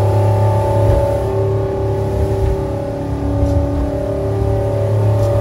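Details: Mercruiser 8.1 V8 in a commercial fishing boat, after repairing a broken cylinder 2 intake valve spring that caused a multiple-cylinder misfire: a deep, steady drone at about 30 knots under load, pulling smoothly with no miss.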